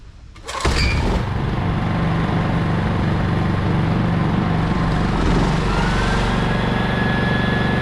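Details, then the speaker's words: Honda EX1000 generator, free and sitting for years, started after repair and reassembly; catches within a second and runs a vacuum cleaner with a steady, even drone and no misses. "all back together starts no problem runs the vacuum we're good to go"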